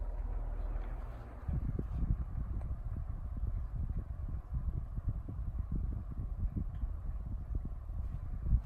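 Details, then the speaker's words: Canarm D12 12-inch 3-speed PSC oscillating fan, believed early 1990s, stiff bearings, before restoration, on low speed: runs a bit slow with uneven low thumps and clunks from the motor housing; cause unclear. "some weird sounds coming from the motor housing"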